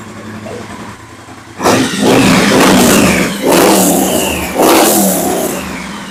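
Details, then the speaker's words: Triumph Bonneville Bobber 1200cc twin after replacing cracked spark plug caps to fix rough running: idles, then three clean throttle blips rise and fall without stumbling or bogging; runs healthily, problem appears fixed. "good yep right so yeah that seems to fix the problem"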